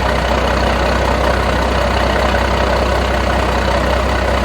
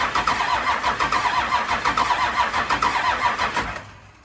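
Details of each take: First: 1992 Dodge D350 Cummins diesel that sat about 14 years, started after jumping the fuel shutdown and ATF-primed new fuel filter: loud, steady idle around two and a half beats a second, no knocks or misses; good pressures, not charging. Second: 1992 Dodge D350 Cummins diesel, first start after sitting about 14 years, ignition switch not working: slow even cranking about seventy beats a minute with no firing; fuel shutdown solenoid gets no power, being jumped.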